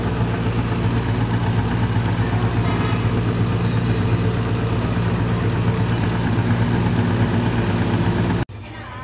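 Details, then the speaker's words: Single-cylinder motorcycle after top-end rebuild, with valve clearance set at 0.05 intake and 0.06 exhaust: fairly even, steady run with a faint residual tick. Timing and idle gears and cam parts were not replaced. "Okay mga boss amo yan medyo tahimik na yung andar ng ating ginawang motor Hindi lang natin naperfect talaga ng sobra dahil nga hindi naman tayo nagpalit ng timing gear idle gear pati yung sa caml"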